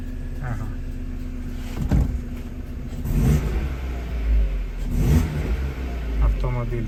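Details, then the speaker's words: Opel Astra H, after replacing the ignition coil module for a cylinder 2 misfire (P0302): no misfire, it picks up cleanly on throttle blips and settles smoothly. On LPG there is a slight hesitation and the gas system needs adjustment. "точно не троїть чудово відзивається на педаль газу"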